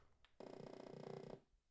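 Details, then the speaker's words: Atari 800 with failing SIO port test: after removing and reseating the keyboard connector, a single buzzy tone about a second long, then quiet; normal power-on, boots. "it is now functioning properly"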